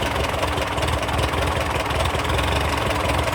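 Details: TO35 tractor engine after loud ticking was cured: steady even idle with smooth low thump, no ticking or knocking; running healthy.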